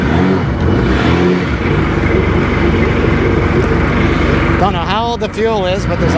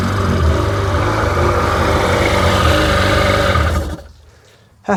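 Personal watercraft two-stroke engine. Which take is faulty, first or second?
first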